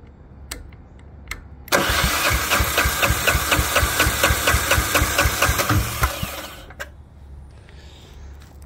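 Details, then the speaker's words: Lombardini 15LD400 401cc single-cylinder diesel 7 kW generator built 2004, barn find, fresh battery on electric starter: steady cranking about two compressions a second with weak firing puffs that never catch; cranks but won't start, starting fluid next. "wow sounds like it's trying to fire up"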